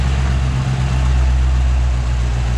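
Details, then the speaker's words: 1957 Chevrolet 210, frame-off restored, 283 Rochester V8, about 16,000 miles since build: deep steady smooth idle hum, no knock or tick; normal idle. "If you listen to the engine, again, no knocking, no ticking, just hums as it should."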